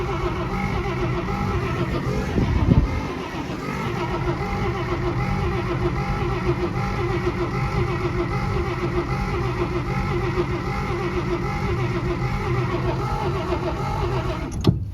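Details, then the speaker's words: 1948 Pontiac Silver Streak straight-six, sitting since the early 1990s, points sanded and fed old gas: steady cranking for about fifteen seconds that never fires; no spark and no oil pressure shown, with plugs or plug wires suspected. "no oil pressure either ooh that's not good"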